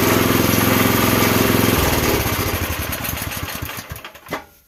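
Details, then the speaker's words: Campbell Hausfeld CE2000 5.5 HP gas wheelbarrow air compressor running with the belt off: an even, quick firing beat holds steady, then winds down cleanly at shutdown with no knocks or misses. Runs normally. "I would say at that point that sounds pretty promising."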